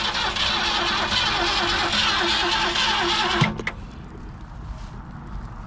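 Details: 1967 Ford Galaxie 500 with 289 V8, first start attempt after about 35 years sitting, new points and condenser, charged battery: starter cranks evenly about four turns a second for three seconds, never catches; crank no start, carburetor suspected.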